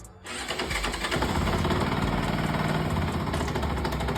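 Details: Benelli 180 motorcycle starting and idling with a strong, loose rattling knock from the lower left engine in the bendix (starter drive) area; cause suspected, not confirmed before disassembly.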